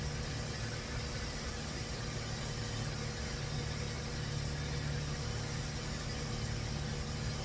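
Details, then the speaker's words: 2004 Toyota Avalon cold start after timing corrected, O2 sensors reading no volts: even steady idle hum, a little rough but no knocks, misses or ticks; sounds really good, owner believes roughness is not O2 sensor related. "But it sounds good. It sounds really good on a cold start. A little rough, but I bet you it's not O2 sensor."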